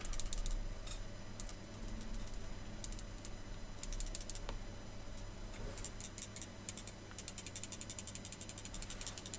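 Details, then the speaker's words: RevTech Nitro 200W dual-18650 vape box mod shaken by hand. Quick, irregular clicking rattle in bursts from something loose inside the case; part not identified. "know if you can hear that, but there is something loose and rattling in there."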